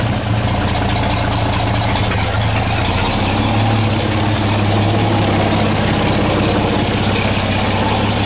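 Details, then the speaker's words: 1934 Chevrolet 1.5-ton truck, first start after about 70 years, cleaned carb, sanded points, fresh gas, 6-volt battery, cold with choke: steady, even low rumble with smooth regular beat, no misses or knocks, no smoke, about 15 psi oil pressure; normal idle. "started it can't believe it ain't even making any smoke"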